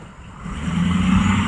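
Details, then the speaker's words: Ford Excursion diesel under hard acceleration: rising heavy roar with steady low drone and extra noise, possibly alternator, more like turbo; source uncertain; black smoke mostly went away. "I'm pretty much hammering on it you can see that the reiew there we do got all kinds of noise coming from it might be the alternator uh sounded more like turbo"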